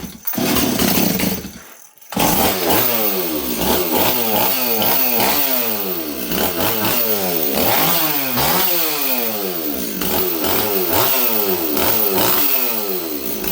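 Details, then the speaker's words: Model 026 chainsaw, cylinder hot, during carb tuning: revs rise and fall, burbly and blubbery instead of clean at the top, running too rich. The tune keeps wandering and fuel spits from the carb; owner is nearly sure the carburetor is faulty. "okay just give me a second here friends sauce too rich right now friends"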